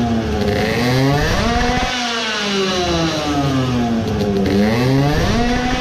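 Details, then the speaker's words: Tuned two-stroke moped engine with a weighted, clamped carburetor; it revs with an uneven, stumbling exhaust note and sputters heavily in neutral, seeming to suffocate on pulls. Misfire, with richer fueling suspected but not confirmed. "it sputtered a lot on neutral that tells that it gets more fuel now, like I suspected it should do"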